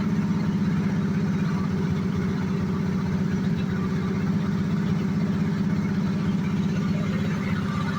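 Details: 1986 Jaguar XJ6, unstarted for two years, after fuel pump change and refitting parts: smooth, even low idle with steady beat, no knocks, misses or hunting; engine running cleanly.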